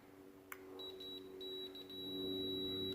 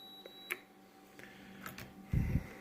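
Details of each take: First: Multimeter continuity test on a switch for a Skylark lowrider switch box: high tone stutters and cuts out instead of holding, indicating a bad switch to be replaced. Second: Multimeter continuity test across a Skylark lowrider switch, leads on first and last terminals: steady high beep, current flows all the way through, switch good.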